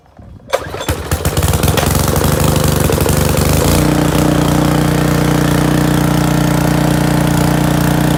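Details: Free gas pressure washer, pump bled of air and hose replaced: a few pull-start chugs, then the small single-cylinder engine catches and settles into a steady, even drone; starts and runs fine.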